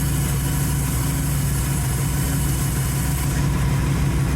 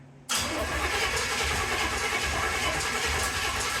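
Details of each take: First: 1931 Ford Model A coupe, first running after the carburetor was swapped. Steady low idle with an even pulse of about one beat per second and no knocks or misfires: normal idle. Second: 1931 Ford Model A Coupe hot rod, first start attempt: starter churns in steady low chugs for four seconds, no firing; cranks but won't start.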